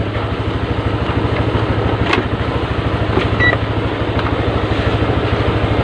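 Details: Honda Vario Techno scooter that would not crank, after fitting a new battery, charging about 13 V: even, steady idle putter with regular beat and no knocks or misses; healthy engine.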